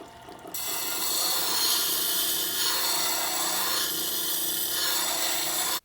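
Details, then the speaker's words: WEN BG4270 10-inch wet/dry sharpener restoring a plane iron set at 25 degrees in the jig: a steady hissing scrape for about five seconds, the normal grinding sound that shows good contact and material being removed. "make sure you hear a grinding sound like this while you're sharpening or else you're not really removing much material"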